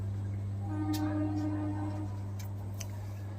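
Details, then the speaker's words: Orient water cooler switched on before repair: the motor makes a steady low electrical hum but never spins up and the cooler does not run; the motor is completely rust-seized. "जब भी इस cooler को चालू किया जाता है तो चालू करने के बाद इस मोटर से एक आवाज़ आने लगती है और ये कूलर चालू नहीं होता है।"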